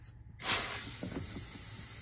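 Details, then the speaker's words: Central AC condensate drain that had been leaking, cleared with a DiversiTech Drain Kat: sharp gas hiss, then gurgling pops as pressure pushes the clog down the line, leaving it clean. "you hear that thing moving there you go now she's clean"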